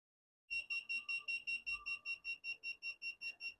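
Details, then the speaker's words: Inverter (24 V input, possibly 35 V) on a bench test, input and output checked not shorted: on startup about sixteen quick shrill beeps, five a second, as it reports overload protection, apparently output overvoltage. "Ah, nó thực sự báo cáo lỗi này Bảo vệ quá tải dường như Tôi đã xuất ra điện áp này để bảo vệ nó"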